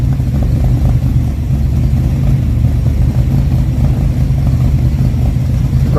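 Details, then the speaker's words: Replacement Time Bomb Racing 283 small-block V8, built after the last engine came apart on Ice Bowl practice day, at first run: low, lumpy idle with an even beat and no knocks or misses; normal idle. "Let's fire it up and see what we're working with. If this thing will run, let's go. It's alive."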